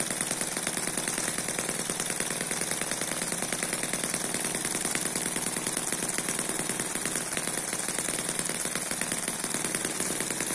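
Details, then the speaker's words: Eachine EM1 (same as M14) four-stroke opposed double-piston mini engine ticking over steadily at low speed; it is not a high-speed engine. Fast, light, even chatter like a sewing machine. Runs smoothly; normal running. "this is not intended to be a high-speed engine runs well just like this sounds like a sewing machine"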